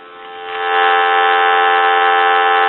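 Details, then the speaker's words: Western Electric Princess touch-tone telephone with an amplified handset plugged into the line; the dial tone through the earpiece is strong and loud, so receiver volume works normally. "now we're going to go ahead and plug this telephone in you hear how loud that is"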